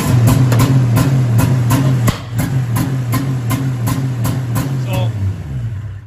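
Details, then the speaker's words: Ski-Doo 700 triple snowmobile with DESS tether cap programmed to a different CDI box: starts and runs but surges and cuts roughly three times a second; anti-theft rev limiting. "that's what it sounds like um when you have a DSS key that's not programmed for your sled still starts still runs but W bum bum"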